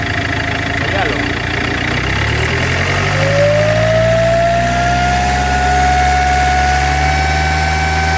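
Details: Iveco 2.3 16v diesel idling with a thin whistle that climbs and then holds steady over the clatter; damaged turbocharger whine.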